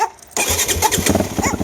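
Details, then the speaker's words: 2015 Yamaha WR250F fuel-injected, very low km, completely cold engine on choke, second start attempt: single-cylinder coughs and stumbles after brief crank, barely catching; hard cold starting, fires on third attempt with smoke while warming. "Sounds like it almost wants to go. It's the second time."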